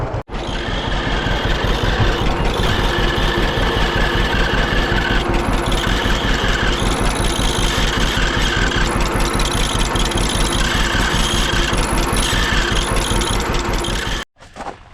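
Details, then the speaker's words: 1946 John Deere BN tractor idling after an oil change: a thin, high squeak comes and goes over the idle thump. Squeaking grinding noise confirmed from the generator, not the fan. "well it sounds to me like it's the generator that's squeaking after all um there's no change to the fan up there but I think the noise is coming from this"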